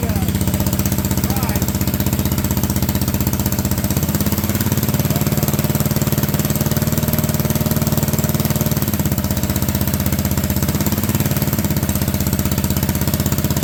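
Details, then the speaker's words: Honda Odyssey go-kart with a cheap used single-cylinder engine, supposedly first start in years, idling with park brake off: note drops and loads up twice as the CVT clutch grabs a belt that is slightly too wide. "well it does run my fear was correct though that belt is just a little wide on this thing"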